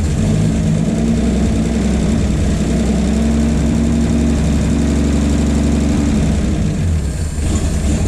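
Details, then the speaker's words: 1951 Chevy 1430 pickup inline six, previously seized, now running on a jerry-can fuel feed with idle turned up: smooth, even low drone, no knocks or misses; owner suspects the fitted fuel pump is bad; normal idle. "at least she starts good look at that how could you not be pumped about this"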